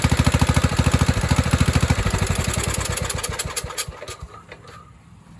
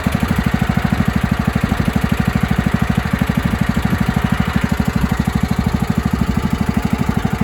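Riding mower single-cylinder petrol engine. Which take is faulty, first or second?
first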